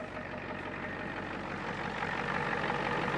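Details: 1989 Ford F250 7.3 IDI diesel just after new batteries were fitted: steady, even diesel clatter at idle with a low rumble and no misses or knocks; the engine is running healthy.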